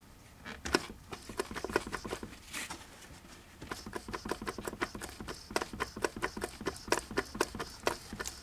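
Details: 1982 Mercedes-Benz 240D, OM616 912 diesel, 259,000 miles, turned over slowly by hand: sharp, uneven metallic taps and clicks from piston slap; No. 3 piston was missing a side below the gudgeon pin, pieces found in the sump.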